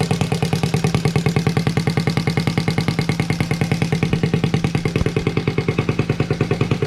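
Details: Honda Z50A Monkey bike, CR70 stator fitted, original flywheel, warming up just after finally starting, exhaust manifold not connected to the silencer: crisp, even popping at about three beats a second with a loud raw open-pipe bark, running steadily.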